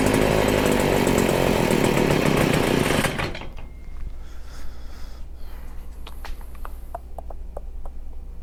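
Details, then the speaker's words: Stihl FS40C string trimmer during carburetor adjustment: loud high rev drops suddenly to an uneven, stumbling idle with irregular pops. Still running rough whatever the adjustment; carb cleaning suspected, unconfirmed. "yeah no matter what i do doesn't want to work"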